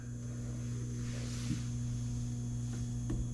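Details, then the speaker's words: Nine-year-old Trane forced-air furnace that won't heat: combustion draft inducer motor gives a steady low hum and is hot to the touch but does not rotate; possibly the capacitor, so the inducer is to be replaced. "oh we found the problem I hear a humming coming from our combustion blower motor and it's hot to the touch so for some reason we're not getting rotation in this"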